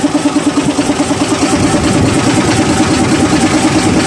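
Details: SDLG loader diesel idling: steady, fairly regular knock about three per second over the rumble; engine knocking, source not yet pinned down.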